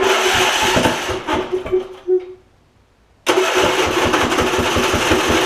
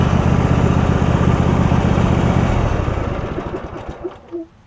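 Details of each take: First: Husqvarna YTA 24V48 rider (hydro-swapped to YTH), 24hp Briggs V-twin, ~190 hours, suddenly stopped running: steady cranking pulses that catch briefly then die; exhaust pushrod fallen off right cylinder, no damage. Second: Husqvarna YTH rider, 24hp Briggs V-twin, 192.4 hours, after refitting fallen-off right-cylinder exhaust pushrod: strong even throb for three seconds, then winds down smoothly to a stop; running pretty good.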